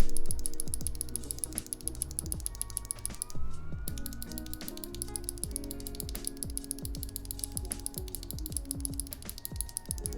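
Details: NovelKeys Cream Clicky switches, compared lubed (3204) against stock: crisp repeated clicks in an uneven typing rhythm, each with a sharp snap; a normal clicky switch, with lube changing the sound slightly but not the smoothness.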